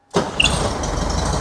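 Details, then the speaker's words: Classic VW Beetle air-cooled engine, no fuel injection, cold start after sitting overnight, carburetor bowl recently cleaned of junk: catches almost instantly in under one rotation, settles into steady even run, no knock; suspected rod knock was not the problem. "it didn't even do a whole rotation. It just started right up. It fires right up, and it's been running great."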